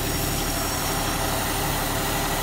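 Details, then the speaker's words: Budget squad car started for the first time in over a decade, with fresh oil and fluids topped up. Smooth, steady, quiet idle with an even low rumble and no knocks, ticks or squeals: normal idle. "is she's actually pretty quiet so we're gonna let that warm up"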